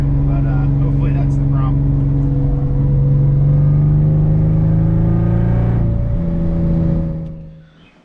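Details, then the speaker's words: BMW E36 318ti four-cylinder on a test drive under load: rough, uneven beat with one cylinder dropping out; cylinder 4 misfire code returned after clearing, likely caused by water entering the cylinders with the engine cover off; owner planned coil swap. "but I'm going to clear the code and again try and Limp this thing home well as you can hear this fire didn't go away so I'm limping at home and I'll change the coil"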